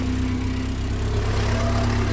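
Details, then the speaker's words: 1990 VW Golf Mk2 idling out of gear, vibrating heavily: low, uneven idle with a heavy shaking drone; rough idle, owner suspects a temperature switch or sensor, and unplugging it seemed to improve it for a while. "right so i'm pretty sure this rough idol is i think it sounds like a trash can it's so bad"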